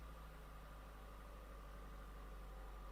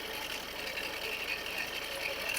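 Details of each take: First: Ford diesel idling after alternator replacement: steady, even idle, and the earlier grinding and whining from the engine bay are gone. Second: Ford diesel car idling with a dense, gritty crackle and rasp over the engine: failing alternator bearing making a huge crackling noise; the alternator was replaced.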